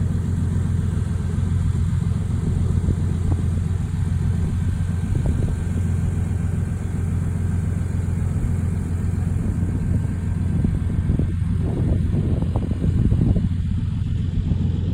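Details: Old steel yacht's twin diesel engines, previously overheating, about to set off from Stralsund: deep steady rumble with even firing, a touch loud and gruff, no knocks; exhaust water circulation good, running healthy.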